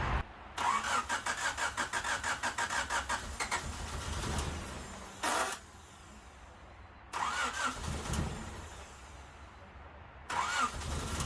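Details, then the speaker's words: 1988 Honda Civic Wagon fitted with a swapped 90 RT four-wheel-drive engine, said to be running when pulled (unconfirmed), cranking after the injectors were reconnected. The starter turns it at a steady quick beat over repeated attempts but it never catches: crank, no start. Owner suspects timing. "you know it should if the engine was good it would start and it would run um there's something not right with it it has to be timing"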